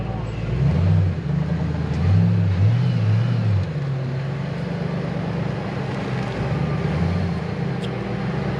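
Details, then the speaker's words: 2008 Mustang GT S197, stock 3-valve V8 with aftermarket exhaust, no intake mods, midday start during pre-purchase inspection: deep throaty burble rising and falling through throttle blips, settling to steady even idle; sounds good, normal exhaust note. "that sounds good it definitely has exhaustion"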